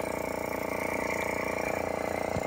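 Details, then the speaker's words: Nissan 300ZX Z31 with key in Run after cranking but not starting: steady electric hum and fast even buzz from a small motor behind the front bumper; cause unknown, possibly an evap pump. "don't know if this is some kind of evap pump but we'll have to do some more research and see what's going on here"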